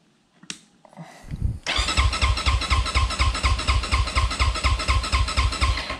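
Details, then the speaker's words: 2020 SSR Motorsports SR300 dirt bike after Lectron carburettor install, fuel in bowl, choke off: starter churns steadily about two beats a second for several seconds, never fires; no spark at plug, plug lead being traced. "i went ahead and checked the spark and there is none so as you can see there was no arc or spark here on the spark plug"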